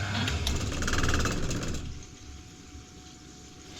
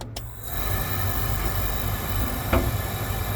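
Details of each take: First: Oil boiler after bleeding the fuel line: burner motor chugs about four beats a second without firing, then faint hum as it goes to lockout because no oil reaches the burner. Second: Oil boiler burner, refitted after capacitor work, clicks and then holds a steady, even roar of fan and flame without buzzing or cutting out; it is firing normally.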